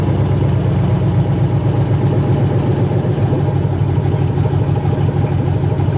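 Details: 1980 Chevrolet C20 with a swapped 4.8L LS V8: loud, deep, even rumble with steady firing and no ticks or knocks. Fired up as it should. Normal running.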